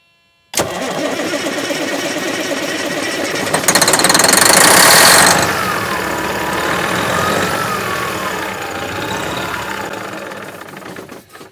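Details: Freightliner truck, about a 2000 model, that sat six years: the diesel fires abruptly on ether, flares loud for a second, then settles into a rough, uneven run; a hard start after long storage.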